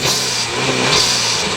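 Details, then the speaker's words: Chrysler PT Cruiser, warm engine revved after a turbo cartridge replacement. Sharp, airy whoosh as the blow-off vents underneath, no longer through the K&N filter, and louder than before with the new turbo. Blow-off valve working normally. "And of course, that's my blow-off plate coming off. That's what you hear. But before you used to hear it coming through the actual K&N filter. Now it just releases underneath."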